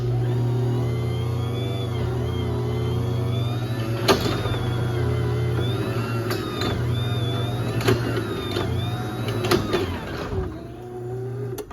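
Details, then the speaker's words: 2013 Chamberlain LW5000EV DC belt-drive garage door opener, recorded from a ladder right next to the motor: a low steady hum, smooth belt run and light door clicks. A quiet, healthy opener operating normally. "But yeah, you can hear how quiet it is right up next to the opener."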